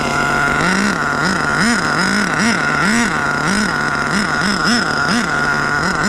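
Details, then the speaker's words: HPI Savage 21 with rebuilt Dynamite 28 nitro engine on a cold day: screams at high revs, pitch swinging rhythmically while held wide open with no throttle response; radio lost signal, electronics suspected; nitro engine runaway. "What the hell happened? Whoa, whoa, whoa, whoa. Savage, it's over. Weird runaway. Can't can't risk it."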